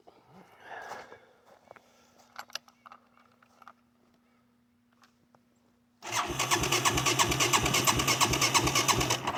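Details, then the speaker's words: ATV that sat about three months, with brake cleaner sprayed into the airbox and the broken choke held up by hand: faint, halting cranking, then it fires and runs loud and steady; hard start after storage. "all right once I pulled the choke up held it hit the starter it fired right up"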